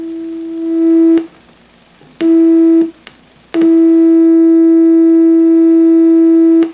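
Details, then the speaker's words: Electronic Measurements Corporation model 802 vintage signal tracer and generator in RF mode, probe on RF input, tracing a 1 MHz amplitude-modulated RF signal from the signal generator; clean steady mid-pitched tone in bursts, the signal is heard and traced properly. "the signal generator is set to produce a 1 MHz RF signal that's amplitude modulated and sure enough we can hear it"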